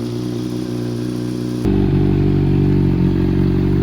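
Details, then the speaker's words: Honda CBR600RR wrecked-bike rebuild, started after sitting with a new battery, previously suspected of being underpowered: steady four-cylinder idle with an even beat, slight rev step-up that holds; normal smooth idle. "It sounds pretty smooth. Holding pretty good."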